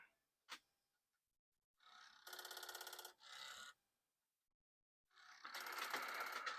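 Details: Commodore 1541 disk drive with disk inserted, at power-on: bursts of rapid even rattling, three or four per second, as it tries to load; drive fails to spin or read, board versus mechanism being isolated.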